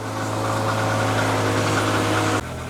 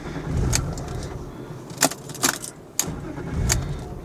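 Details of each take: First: BMW E36 running again after EWS immobilizer delete, loose ground cable later found: steady, even idle hum with firm low drone, then an abrupt drop in level near the end; engine running smoothly. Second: BMW E36 with suspected throttle position sensor fault, after a short drive at a gas station before clearing codes: engine catches and rumbles briefly, then dies within seconds on its own; won't stay running.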